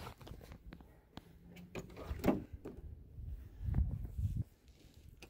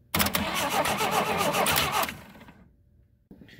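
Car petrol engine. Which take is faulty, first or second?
second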